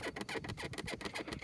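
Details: 2024 Toyota Tundra SR5, among a list of quality-control issues: a quick run of dry, scratchy creaks, roughly eight per second, as the door swings. A door hinge or seal creak, cause unclear.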